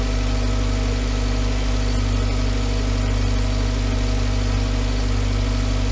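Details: 2011 VW Voyage with EA111 engine at steady, even idle: smooth low hum, no knocks, ticks or rattles. The engine noise complaint was traced to the water pump, and the timing belt and tensioner were replaced; the car was also out of timing. Normal idle.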